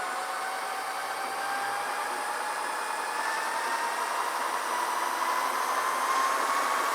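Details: Porsche 356 engine pulled over a strong vibration near 3000 rpm; its cooling fan is spun by a drill through a hose coupler at 2000+ rpm, engine loose on a jack: steady airy whir rising slowly, no wobble or rubbing; the fan runs true.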